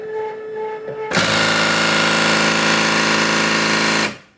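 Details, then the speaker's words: Second-hand Cricut Expression cutter with dark panel lights; at power-up the carriage keeps slamming the side with a harsh rattle of about four knocks a second. Its limit-switch contact piece has broken loose. "so this is the problem why it makes this horrible sound"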